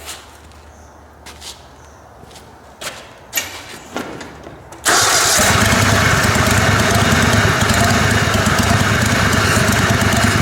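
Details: Kohler Command Pro 27hp lawn mower V-twin after head gasket repair, gutted muffler with 2-inch pipe welded on via washer: clatter, cranks and catches into loud open steady rumble with even firing; normal running.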